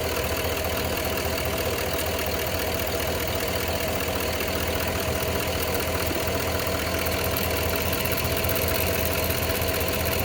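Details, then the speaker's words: Cadillac Escalade Hybrid, Vortec 6.0 V8, at idle: light uneven ticking about two or three a second drifting in and out, heard only from driver's side bank; owner suspects injectors, cause unconfirmed. "Are those injectors or what? I hear them coming only from the driver's side bank. They like come and go."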